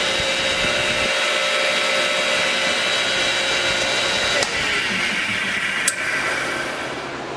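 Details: Ridgid R4512 table saw motor after the centrifugal switch fix, rewired for 120 V, running with no blade and turning the right direction: a steady, even hum with a constant tone and no grinding or rattle, running normally.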